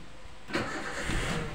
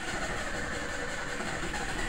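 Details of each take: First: 2008 Toyota Avanza, engine just shut off and restarted warm: brief crank, fires almost instantly into smooth idle; long cranking returns after sitting 5–10 minutes or in the morning cold; normal warm start. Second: 2008 Toyota Avanza, cold engine after sitting about an hour: steady rough starter churn runs for seconds before it fires; restarts easily once warm, returns after 5–10 minutes off; fuel pump already replaced without fixing it; long cold cranking.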